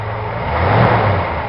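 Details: 1965 Ford Galaxie V8 after a quick cleaning of its 2-barrel carburetor, idle possibly needing adjustment; deep steady engine rumble that swells briefly as it revs and settles back, running smoothly.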